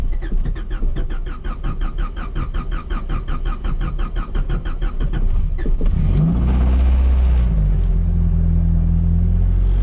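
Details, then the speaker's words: 1995 Honda Civic Del Sol with an H22A4 swap and P28 chipped ECU, engine just put back together, new starter: six seconds of quick cranking, then a smooth, deep, even idle with strong oil pressure; normal running after rebuild. "Like a charm. Wow, oil pressure's killing it. Ooh, baby. Now you gotta remember, I just put this engine back together too."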